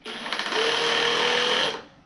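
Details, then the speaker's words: Hammer drill with masonry bit drilling into brick in hammer mode: fast, even rattling hammer blows over a steady motor whine for under two seconds as the cam pushes the bit in and out; hammer action working normally. "it's running over a cam and and the drill is actually ever so slightly going out and back in that's the hammer action so it's going around and around around like a normal twist drill and it's going in and out in and out that's that loud noise you hear it just ricocheting off the brick as it as it drills in hammers in a"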